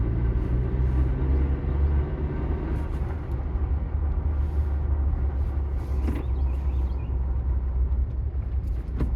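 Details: 2021 Ford Bronco manual transmission, stationary at idle with clutch engaged: a low, gritty grinding rumble in C, 1st, 2nd or neutral that swells and eases, and goes away when the clutch pedal is pressed.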